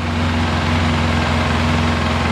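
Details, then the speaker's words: Polaris Sportsman 700 ATV idling after a head gasket replacement; not leaking, quiet, no exhaust leaks at the pipe. Smooth, even low idle with steady firing, no ticks, knocks or exhaust puffs; healthy engine. "it's not leaking that's how quiet it is no exhaust leaks by the white pipe that's good"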